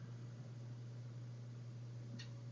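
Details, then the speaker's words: Sovol SH01 filament dryer after replacing its noisy stock fan with an Anvision 40mm fan, microphone held right up to the unit. Only a faint, steady low hum with no whine or rattle, a huge improvement. Normal fan running. "Let me turn the unit off. You can hear the difference. Not hear the difference. Yeah. So, huge improvement."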